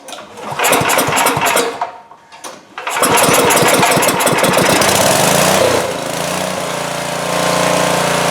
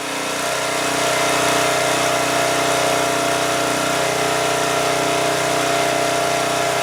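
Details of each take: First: 2002 Coleman Powermate 5500 generator, after carburetor cleaning and motor mount repair, air filter off: catches after a few pulls, stumbles briefly, then settles into a smooth, steady, even run at full run without choke; healthy. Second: 2002 Coleman Powermate 5500 generator after carburetor cleaning and motor mount repair: steady high-pitched no-load drone, engine overspeeding and putting out 135 V because the governor spring is set too far, possibly tampered; to be backed off.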